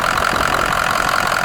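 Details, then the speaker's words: Ford 6.0 diesel work truck, standpipes replaced October 2020: a steady diesel idle with an even clatter and fine rattle, no misses or rough patches; it still runs perfectly. "that 6-0 is running strong sounds and it's still running perfect after changing the standpipes in it"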